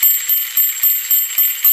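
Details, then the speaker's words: American Flyer 3307 locomotive after repair and armature rewind, running with bell switch on: bright, even dings about four a second as the plunger strikes cleanly. Normal bell ringing. "And if you look real carefully, you can see the piece inside going up and down, hitting the bell, the plunger."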